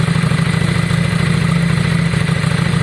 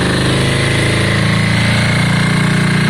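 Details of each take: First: Yamaha Virago V-twin idling, warming up after front carb clean and new spark plugs: steady, even low thump with no misses, knocks or rattles; best it has ever sounded, revving fast and high; normal idle. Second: Yamaha Virago V-twin, just started after exhaust swap and carb clean: uneven, loping idle turning choppy and shaky; front cylinder stone cold, suspected not firing, a one-cylinder misfire.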